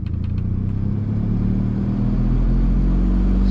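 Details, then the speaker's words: 2004 Saab 9-5 Aero at about 231,000 miles, blower fan on high, heard in the cabin: a heavy, steady low roar and drone that builds as the fan speeds up. Worn blower motor bearings are suspected; loud blower motor noise. "So loud, so loud, so loud. So apparently the bearings on these blower motors do go bad after some age, and obviously this car is aged."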